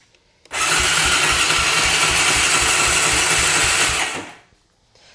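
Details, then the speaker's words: 2004 Honda Recon 250 ES quad cranking during a compression test, throttle stuck so not held wide open: starter whirs steadily with soft, even pulses and little resistance; low compression of 65, rising to 76 after adding oil. "I can tell you right now, it's not very much. It is 65."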